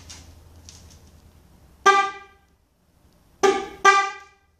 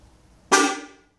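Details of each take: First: Kadett 98 horn test with one of two horns removed: three short, loud blasts with a clean, steady tone; the remaining horn sounds normal and the other horn is the faulty one. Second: 1998 Kadett horn after reconnecting a loose connector: brief, louder blast but still thin, off-pitch and not the original sound; each of the two horns has its own connector, and one horn is dead.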